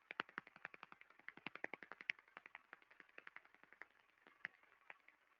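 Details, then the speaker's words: Damaged rolling bearing heard through an SDT ultrasound airborne sensor: sharp, crisp ticks repeating about twice a second in a steady train over a quiet background, the bearing's repetitive defect impacting. "now you can easily hear the impact the repetitive impacting with the Airborne sensor"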